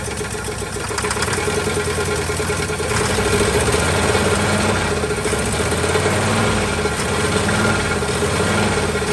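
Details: 1949 Ford truck with a swapped-in Ford 312 Thunderbird V8, sitting about 45 years, idles cold with an uneven, lumpy beat of about three to four pulses a second; won't run on gasoline, carburetor not suspected, owner suspects low compression.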